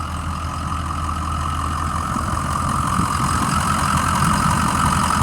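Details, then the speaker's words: 2006 Ford E-450 Blue Bird Handy Bus school bus, idling over half an hour, alternator apparently recently replaced: even low engine rumble with faint steady belt hum, no knocks or misses; motor sounds good at idle. "It's been running for over half an hour at idle. Motor sounds good."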